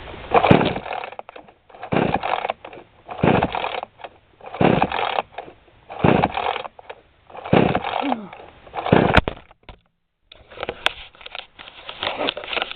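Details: New 20-inch model 5200 chainsaw on 20:1 high-octane unleaded mix, after plug cleaning, an ignition wire fix and carb H/L reset to spec: repeated rasping recoil pulls about every 1.5 seconds, never fires; weak spark and flooded plug suspected.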